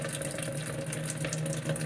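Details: AQUA washing machine filling with weak water flow: steady hiss of water trickling in with a low pump-like hum; thin, slow fill from a faulty water inlet valve.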